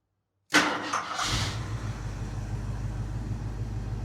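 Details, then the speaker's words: 1981 Jeep Wagoneer Limited, AMC 360 V8, revived after sitting 20+ years, warm restart with no throttle pump: short crank, catches at once and settles into a steady, even idle. Normal warm start. "How's the refire? No pump or nothing now that she's warm."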